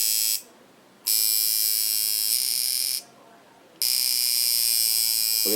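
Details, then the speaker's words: Watson coil tattoo machine, contact angle being adjusted: a high, raspy buzz in short runs as the contact screw sparks because the angle is wrong. "spark spark no spark you see what I'm saying the end of that that's one way to tune when you don't see the spark anymore you're doing something"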